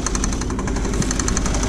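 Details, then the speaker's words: 2000 Saturn L300 3.0 L V6 after a timing belt job, idling. Rapid, steady knocking rattle at the front of the engine, suspected from the power steering pump pulley; accessory belt removal is planned to confirm. "you hear that noise that sounds like that's coming from the third pulley on that could be developing something"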